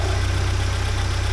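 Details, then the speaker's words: 1979 Porsche 924 idling warm after about half an hour of running, after fuel pressure (WUR) work, with fuel pressure holding steady at a low 3.8 for 20 minutes, water 62–63°; a smooth, even low idle with no misses, surges or knocks; normal idle. "Yeah, it's been going and running for about a half hour now. And it's steady like a rock right there."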